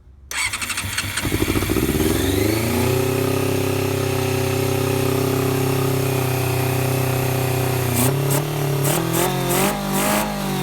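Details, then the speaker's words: 1990 Honda CBR600F four-cylinder with carbs, after a starter-fluid start, choke almost fully off: a high fast idle that surges and dips unevenly. Owner suspects an air leak despite tightening the carb boots; erratic idle. "I got the choke pretty much all the way off, but I'm still having that issue. I mean, it sounds like an air leak cuz I just tightened up um all of the boots for the carbs uh down in there."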